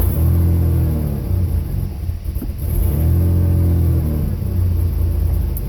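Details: 1988 Ford Ranger 2.9 idling with the old MAP sensor before replacement: low rumble swells and sags about every 2.5 seconds, rough surging idle worsening over years; fixed by new MAP sensor.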